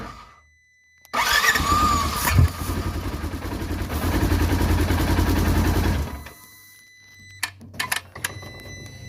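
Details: 2016 Polaris Ranger 900XP before repair: steady starter churn for about five seconds with even compression pulses, but it never catches. The throttle plate is suspected, as it chatters and closes at key-on and never opens, and the intake boot is oily and dirty. Hard start.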